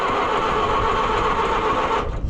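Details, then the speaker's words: Oliver 550 tractor, long abandoned, with cloudy fuel holding ethanol water and rust in it: about two seconds of steady starter whir that never catches. Cranks but won't start; owner suspects the points need filing, cause not confirmed. "What are the chances that it's going to fire up and run? Probably very low."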